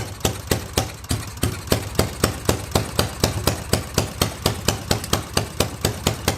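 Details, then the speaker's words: Yamaha XS650 twin, first start in 25 years on rebuilt stock carbs: lumpy loping beat, about two pops a second, uneven gaps. One exhaust cold; owner suspects one carb faulty, firing on one cylinder; a spark plug wasn't fully in. "I'm pretty sure this one carb is not doing its job because this exhausts it's still cold and this one's got some warmth in it so I think I think it's only firing the one cylinder right now"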